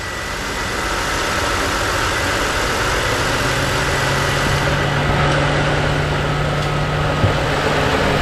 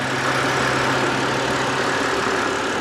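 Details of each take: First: BMW E92 325i N52 manual petrol engine idling smoothly and evenly with a faint steady hum after the engine rattle fix; the rumble has gone, no rattle. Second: BMW E92 325i N52 manual idling: steady gritty rumble and whirr from the belt area; owner is fairly confident it is the dry belt tensioner/idler pulley bearing, possibly the fan too.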